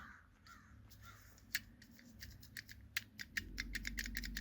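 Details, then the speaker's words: 1998 Chevrolet S10 ZR2 4.3L Vortec with code P0404: new EGR valve plunger pushed by hand, light uneven clicks as it moves freely, while the old valve is hard as a rock; EGR valve plunger moving freely. "I can push it easily. So the valve goes up and down. You can hear that. See, that's a brand new one."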